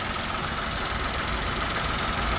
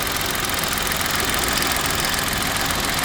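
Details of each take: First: Old car idling, bonnet open: steady idle with a dry busy rattle in the engine bay rising and falling with revs; owner says it isn't the brakes, engine otherwise smooth and timing chain looks fine; source not found. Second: Engine idling smoothly, clean and running well, with a light quick ticking of the three injectors over an even hum; normal injector tick, timing chain present, engine looks healthy.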